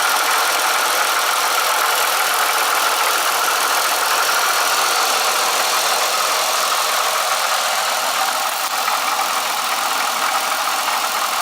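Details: Triumph Bonneville motorcycle twin idling after an oil change: steady, tinny rattle over the engine note, cause unknown. Rattle persists, though the owner thinks it may be quieter than before. Owner suspects the coupler as the next thing to check.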